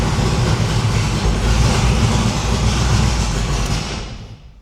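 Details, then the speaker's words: No-prep drag car V8 fired up after new PAC valve spring install, with four plug wires accidentally left disconnected: loud, uneven, lumpy rumble that stumbles before shutoff; misfire from running on only four cylinders. "that don't sound nearly right let me ask you a question okay why you got this why the CL off this that was on four plug wires wasn't it yeah"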